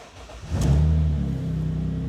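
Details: Car, battery recharged with a Draper 6V/12V smart charger after the car would not start for two days (12.2 V shown), refitted; short crank, then it catches first time and settles into a steady idle, a healthy start.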